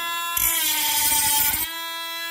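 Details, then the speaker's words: Parkside PFBS12B3 cordless precision grinder-drill cutting plastic cable trunking at its max speed setting; settings 2–3 cut poorly. High steady whine with a rougher, louder cutting rasp for about a second; motor holds pitch under load and cuts cleanly at top speed. "c'est vrai qu'au max c'est pas mal quand même."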